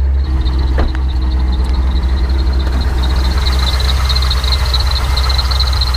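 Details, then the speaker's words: Chevrolet C5 Corvette Z06 with a built 383 stroker, Flowmaster exhaust and Vortec Power Duct intake, at idle: a steady high-pitched chirp rides over a deep rumbling V8 idle; a slipping accessory belt is chirping. "So I'm sure you guys can hear it a little bit. Got Flowmasters, you might hear a bit of a low. Belts chirping."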